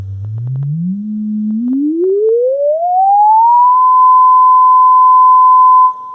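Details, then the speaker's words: Vintage Lloyds 8M36W-07A stereo speaker, tested on the bench after checking its taped cone splice. A clean single tone sweeps from low bass up to a steady high note with no buzz or rattle, so the speaker is healthy. "seems good to me so I think we just need to put some cables on here and then these should be good to go"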